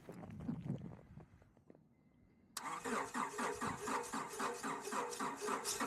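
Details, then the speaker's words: 1999 Acura CL, small-displacement engine, jump-started via remote start in below-zero Minnesota winter cold on a weak battery: a few quiet seconds, then a steady fast crank of about four beats a second that drags on before it finally starts. "so you can tell from the extended Crank that she wasn't too happy to wake up in the cold but but not too much drama there getting it started"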